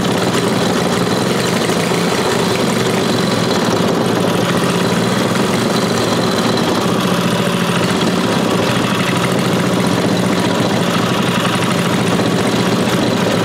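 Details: Briggs & Stratton 5 HP single-cylinder after converting points and condenser to electronic ignition: fast, steady, even beat with no stumbling or popping, running cleanly.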